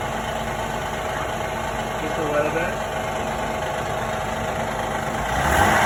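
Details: 2016 Honda Odyssey petrol engine at cold idle: a faint, uneven knocking under the steady running note.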